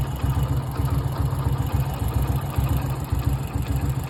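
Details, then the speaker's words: Splendor motorcycle idling with a low, uneven knocking beat about twice a second under the engine note; a strange noise that appeared in recent days and seems to come from one area of the engine; cause unknown. "Amigos, alguno que me ayude, es que mi moto tiene un ruido extraño en esta parte."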